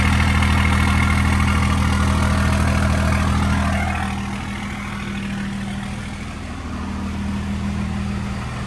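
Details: 2nd-gen Dodge Cummins diesel with NV5600 after short throw shifter install, inside the cab; smooth, low, even idle with no clutch or shifter rattle, much quieter; normal idle.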